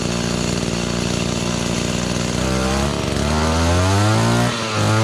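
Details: Echo GT-200B (Kioritz) two-stroke trimmer after recoil starter pull rope repair, started on choke: steady idle buzz, pitch climbs smoothly as throttle opens; runs cleanly and healthy.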